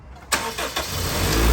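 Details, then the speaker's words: Honda Civic, low battery reading 10 V, started with a jump pack attached: brief cranking, then catches cleanly into a steady, even idle with no stumble; normal start, and the alternator is charging at about 14.1 V. "how it starts off a lot smoother and now as you can see it's at uh 14 volts"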